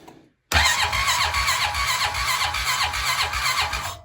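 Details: 2015 Honda TRX500FM6 Foreman/Rubicon ATV after new starter installed, airbox off: strong, fast starter whir with even compression pulses about four a second, cranking briskly; normal starter cranking.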